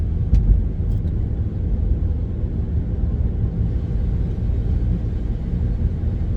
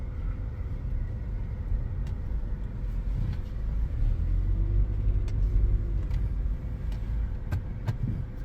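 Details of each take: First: Car with loud whirring, airplane-like front-end noise while driving: steady low hum, constant on and off load and when turning, seems to come from the front. Worn front wheel bearing suspected. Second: Car after front wheel bearing replacement, test drive at 40 mph (airplane-like hum was worst at 20–40 mph before): only soft tyre and road rumble, no drone or growl; bearing now quiet.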